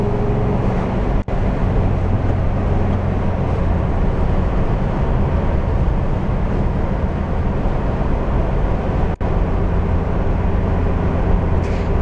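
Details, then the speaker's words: VW bus on a highway road test after gear reduction box bearing repair; earlier transmission failure had sent particulates into the reduction boxes. Smooth even rumble at road speed, no whine or growl over tyre and wind noise: quiet drivetrain. "let's go see how she does on the Old Highway nice and quiet now probably should have done it before"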